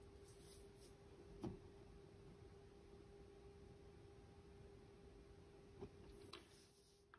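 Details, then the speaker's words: HP ProCurve 1800-24G J9028A switch after swapping its loud original ball-bearing fan for a Noctua NF-A4x20 on a low-noise adapter: very faint steady hum barely audible at camera distance, few handling clicks. "the low noise adapter it can be barely heard from the distance this camera is to the switch and"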